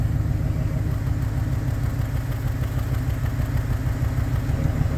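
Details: 2008 GMC Sierra 5.3L V8 idling with a deep, uneven lope pulsing about three times a second, white smoke, misfiring cylinders 1, 4, 6, 7; owner suspects collapsed valve lifters (cylinder deactivation); fix: swap to original lifters, block-off cover, tune. Misfire lope at idle.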